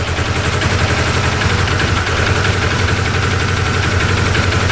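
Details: 2013 Arctic Cat Wildcat 1000 UTV V-twin that bogs, lacks power and stalls at idle: an uneven, lumpy putter at about three beats a second, missing every other fire, running on one cylinder. Plug wet with spark and injector working; timing suspected.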